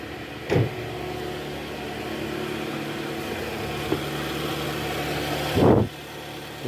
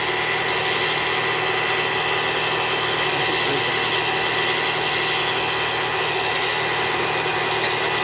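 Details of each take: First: 2013 Toyota Alphard with a 2AZ-FE engine at idle after replacing a destroyed balancer shaft and cleaning its fragments from the oil strainer: an even, steady low hum with no roughness or knocking. Much smoother; normal idle. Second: 2013 Toyota Alphard with 2AZ-FE engine before repair: harsh, gravelly idle with steady coarse vibration; suspected and later confirmed a disintegrated balancer shaft near the oil pan.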